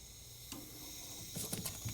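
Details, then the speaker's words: Allavino VSWR177-1BWLN 177-bottle wine fridge not cooling at all; Supco BPV31 piercing valve punctures the copper line, soft steady hiss with handling clicks as gas flows: refrigerant hiss into empty sealed system. "I hear something. I hear some gas flowing. You guys can probably hear it too."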